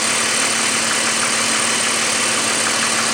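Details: 2002 BMW 530i with the M54 engine at idle: a light, uneven tapping about three per second over a hissy top end; knocking heard, cause unclear.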